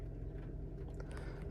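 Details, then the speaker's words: 2019 Hyundai Accent 1.6L rebuilt with aftermarket crankshaft, about 60 miles after rebuild, warm after highway drive, at idle: quiet, low, even hum with no misses, ticks or knocks; no misfires or codes. "Engine runs great. And um I mean, we can check misfiring. Of course, there's nothing."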